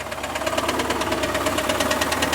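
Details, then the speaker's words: Chevrolet Camaro IROC engine idling with accessory belt removed: sharp regular clacking about seven or eight per second, heard in both spots checked, so internal to the engine; cause suspected, not confirmed. "It shouldn't hear, it sounds okay except for that clacking. And you can really hear it over here."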